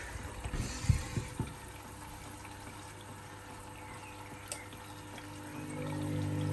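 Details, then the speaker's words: Hoover Link Whites 90 Aqua Plus washer during the first rinse of a full load of shed rags and sheets after an aborted spin; a few dull low thumps over running water, the machine pushing the door forward, then a quiet hum. "That like thumping noise you can hear is the machine pushing the door forward there."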